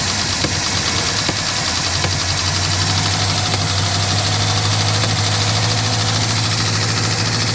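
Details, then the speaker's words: 1967 Lincoln Continental started after sitting about 29 years, choke on: loud busy valvetrain clatter over rough idle right after start-up while oil pressure builds. "we got some clatter build oil pressure baby build oil"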